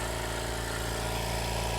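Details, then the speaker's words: Air compressor powered by a BLUETTI Elite 200 portable power station: steady even chugging hum while pumping up, no knocks, squeals or stumbles; running normally. "It's working. It's working, guys. Sounds like it normally does."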